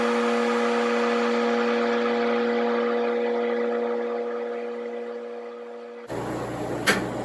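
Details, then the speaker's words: Amergraph Advantage 150 metal halide screen exposure unit: steady electrical buzz as the bulb fires after the vacuum phase, cutting off after about six seconds. Normal lamp buzz during exposure. "Now the bulb will fire, and you'll hear basically like a buzzing sound."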